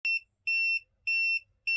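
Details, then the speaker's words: ALL Powers S2000 solar power station with nothing plugged in, at dawn or dusk in low light: repeating high beep about 2.7 kHz, roughly 0.3 s long every 0.6 s; owner believes the solar panel input causes it. "okay so this is a real thing this is um this happens um first thing in the morning and at night when the when it's not quite light and it's getting dark here it goes again um and i know it's caused by the solar panels"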